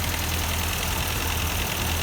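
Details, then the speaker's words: Partially restored Ford 8N tractor, not run in years, after work on a stuck exhaust valve in cylinder four that had no compression: low, steady, even chugging with no skipping, and no bad gears or clicking in the transmission. "so exhaust muffler there's no bad gears or clicking sounds or anything in transmission so that's real good"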